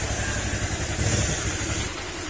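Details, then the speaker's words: Honda Click 125 scooter engine before overhaul, throttle opened; rough low knocking clatter that follows acceleration; connecting rod knock, fix is replacing whole crankshaft and block set. "Okay, sumasabay sa acceleration. Matic, ang problema niyan, connecting rod."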